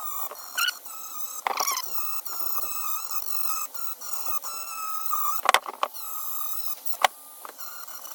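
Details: Dremel rotary tool polishing carbon from air-cooled VW Beetle (Baja Bug) cylinder head combustion chambers: a high-pitched whine wobbling in pitch, broken by rattly bursts and dropouts; the tool runs rough, struggling, and sounds bad.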